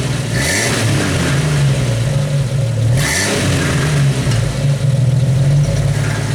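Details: 1991 Jeep Wrangler YJ exhaust at the tailpipe: deep exhaust note with a loose metallic rattle on each throttle blip, worst at first start-up, from a baffle that came unwelded inside.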